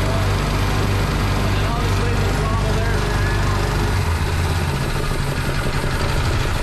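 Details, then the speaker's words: Homemade gas air compressor with Predator 212 single-cylinder engine and pilot unloader valve: steady low drone, then the note shifts near four seconds as air is let out and the unloader drops the load; speed changes worked by hand for now. "so the unloader here still works but i will start this up and we'll let some air out of it and you can hear it kick up and down manually for now"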